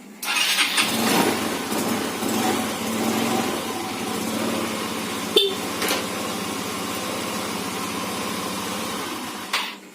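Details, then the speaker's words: Yamaha Xeon RC injection scooter that would not power on despite a good battery, after repairing a burnt red wire from the ignition: brief starter whirr, then it catches and runs steady and even, no misses or knocks. "Ini alhamdulillah motornya sudah hidup dan normal."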